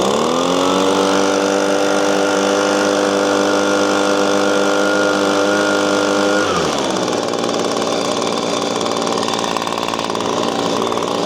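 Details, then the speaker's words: Echo PB-250LN handheld two-stroke leaf blower, 6 years old, at full throttle after fuel tank/fuel pickup work: holds a steady high buzz a bit short of a full scream, then drops back to idle, so it is still not reaching full RPM. "My findings are it runs a little bit better. It runs a little higher RPM, but it's not where I think it should be."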